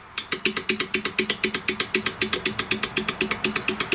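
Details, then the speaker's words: STIHL BG56 leaf blower with worn easy-start recoil spring, engine turned by hand: sharp regular clicking about four times a second, felt play; flywheel and coil tight, compression present, owner suspects just the recoil. "It doesn't feel right. But listen to that play."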